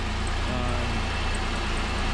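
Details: 2005 Pontiac Grand Prix GM 3800 Series III petrol V6 after lower intake manifold and water pump gasket replacement idles smoothly with a steady even low pulse and no leaks; a chirp from the alternator pulley went away after lubricant.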